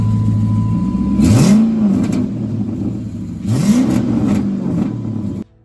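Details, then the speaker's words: 2007 Dodge Charger 5.7 V8 with newly welded-in, quieter exhaust: two quick blips rise and settle back to a steady rumble with no rattle or blowing leak: normal exhaust note. "What matters is that it's quieter. And these look good, man."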